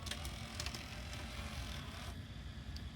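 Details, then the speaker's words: 1988 Zenith VRE-510HF VCR (JVC-made mechanism): the tape loading motor whirs and ticks, then stalls partway through loading and sometimes goes too far; the owner suspects dirty contacts in the mode switch. "so it gets stuck when it's going through its process it gets stuck electronically stuck and doesn't continue all the way into loading the whole way"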